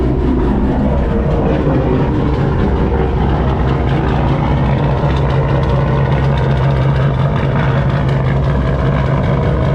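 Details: 2021 turbocharged GMC truck V8 with small Texas Speed cam (224/228, .600 lift, 112 LSA), methanol injection, used for towing and work; even deep rumble at idle with slight lope, no knocks or ticks: normal idle.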